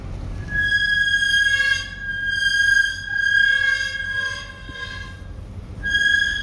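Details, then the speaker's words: Toyota GX 300 Series, newly bought, driven first thing in the morning, with the brakes touched lightly near the top of a hill. A steady high-pitched squeal rises and fades with each touch over soft road noise: brake squeal. "that was me touching the brakes lightly first thing in the morning and as I come to the top of the hill yeah not good"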